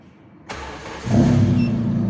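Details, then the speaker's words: Carbureted car, morning cold start with AC off and no throttle pressed, automatic choke sensor fitted: brief crank, catches within half a second and settles into a steady, even idle; normal cold start. "ini langsung hidup teman-teman nah ini punya saya itu udah dipasang sensor otomatis jadi pas pertama hidup itu walaupun tidak menginjak gas"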